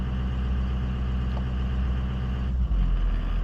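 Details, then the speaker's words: 2004 Ford F250 6.0 Powerstroke diesel returning to regular idle after a scanner-commanded high-idle test exits; low, smooth, steady rumble, no hunting or misses — normal idle. "As soon as it exited, it went back to regular idle."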